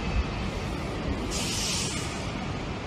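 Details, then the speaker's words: Train rounding a curve, recorded a few hundred meters away: continuous hissing rush with a brighter swell midway as wheel flanges rub the rail side; flange rubbing noise. "This is just the wheel flange touching the rail"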